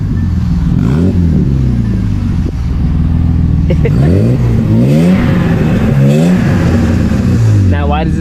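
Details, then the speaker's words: 1981 BMW E12 petrol engine running and revving smoothly with a clean, steady exhaust note, partly under music. Catalytic converter was replaced; there is no exhaust leak. Normal engine and exhaust sound. "it sound so good I changed the Catalina converter there isn't an exhaust leak"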